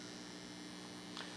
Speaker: You hear the 60 cycle hum? This is an unbalanced amplifier. It's picking up 60 cycles, sending it over to the power amp,